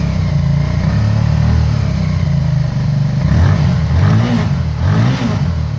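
Lumpy, uneven low thudding from a cold V-twin, its beat stumbling and surging irregularly instead of pulsing evenly; a cold-start misfire. Cause suspected, not confirmed.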